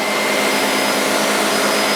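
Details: Vehicle AC blower on max during R134a recovery step on the service machine, high hose disconnected: loud steady rushing roar with faint constant tone, no surging or rattles; blower running normally.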